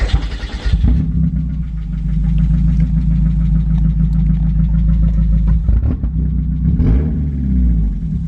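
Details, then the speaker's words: 1990 Mazda Miata 1.6L, naturally aspirated, new Flyin' Miata clutch and lightweight flywheel, running open header/downpipe with no exhaust after the catalytic converter: short start-up burst, then loud raw deep exhaust drone with a quick blip near the end. "We tried to run open header. It was extremely loud. Like, Jesus, we're gonna get pulled over loud."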